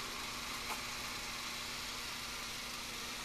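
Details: 1951 Hammond RT-2 tonewheel generator, under new felt cover, after replacing 60-year-old wax paper capacitors: steady, even hum with soft hiss and faint low tone, no knocks or rattles, purring; running smoothly.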